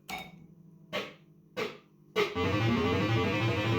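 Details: System 80 machine tested about ten minutes after switch-on, following fixes to a loose, unbolted speaker and restored earths to the speaker. Crisp separate chimes, then a steady tune, with no crackle, buzz or distortion; output clean, though the owner isn't sure the fault is solved.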